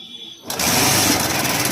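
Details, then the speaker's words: TVS Star Sport motorcycle engine running with a busy, fast ticking rattle from the top end; attributed to the cam chain tensioner letting the chain slap; cam chain tensioner noise. "Quick इसके हो रहा है दोस्तों यह tension की वजह से होता है"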